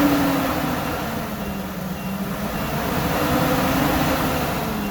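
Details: Workhorse chassis 8.1 Vortec, radiator blocked off on an 88°F day: at about 225°F engine temperature, a loud, steady rushing roar over the engine as the fan clutch locks up, engaging as it should.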